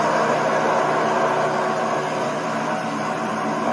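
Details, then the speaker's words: Nissan SR20DET in an S14 after rod bearing replacement and bleeding the lifters: smooth, even idle with a steady hum, no knocking or ticking, running great. "And a happy SR. Oh"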